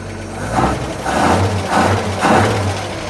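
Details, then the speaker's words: 1941 Chevy on a rebuilt Carter W-1 carburetor, started cold; crisp repeated throttle blips rising and falling cleanly with no stumble, heavy smoke; far snappier than before, old carb's accelerator pump thought shot. "Okay. Well, that sounds a heck of a lot better than it did. It never had that snap to it before, and I think the accelerator pump was shot in the other carb."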